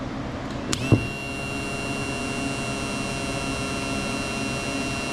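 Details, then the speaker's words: Yamaha F-115 outboard Showa tilt/trim unit on the bench, wired to a battery after a seal rebuild (it had leaked and struggled): a click, then a steady free motor whir with no strain, but the rams don't move; bad pump. "Running, but nothing's happening. The only thing it can be at this point is a bad pump."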